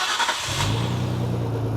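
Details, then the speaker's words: JDM car with new wiring harness and MegaLife lithium battery, started with headlights, high beams and wipers on: brief quick cranking, catches at once and settles into a strong, even idle; healthy start. "Yeah, that's strong on there. I'm sold."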